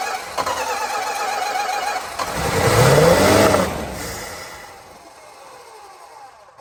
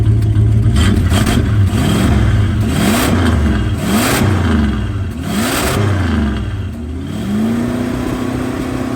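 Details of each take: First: 1965 Plymouth Barracuda, original 273 V8, 138k miles, 4-speed, off road since mid-90s, used fuel pump fitted, fuel poured in carb: cranks evenly with modest compression, catches, revs, then lumpy idle with missing beat; down a cylinder, smoking, needs tune-up. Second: 1965 Plymouth Barracuda, original 273 V8, 4-speed manual, 138k miles, off road since mid-90s: choke linkage flipped, cold idle, slightly flooded; blips then smooth even idle on eight cylinders, billowing smoke, float level suspected too high; normal idle and revving.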